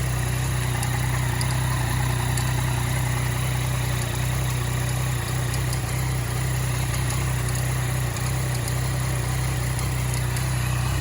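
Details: 2014 Yamaha MT-09 at idle, noticed on a ride; light, fast, even clicking on top of the idle hum, keeping pace with the engine, cause unknown; clicking noise at idle.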